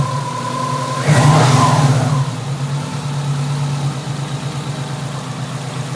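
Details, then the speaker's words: Subaru SOHC EJ257 hybrid rebuild (low-mileage STi block, new pistons) at idle after a custom stainless up-pipe install, running rich without upstream O2 sensor: steady low idle with one quick rev, smooth, no tapping or bottom-end knock; healthy. "sounds perfect. No piston noise whatsoever."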